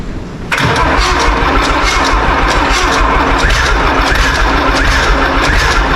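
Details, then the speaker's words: Old John Deere 3130 diesel tractor, first start after sitting, cold; catches and runs with an uneven, lumpy beat, seemingly firing on only about three cylinders, suspected to need heat. Rough running, misfire. "It's only on like 3 at the minute. Sounds like it needs a bit of heat."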